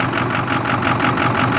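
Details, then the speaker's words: 2006 Ford F250 6.0 Power Stroke with a hard start and loss of power, cold after 5-5.5 hours on the block heater, phone on the steering wheel, fuel pressure just over 50 psi: uneven, loping, choppy idle; rough idle, cause unknown. "i don't know if you can hear how rough it's running put the phone down on the steering wheel it's running rough"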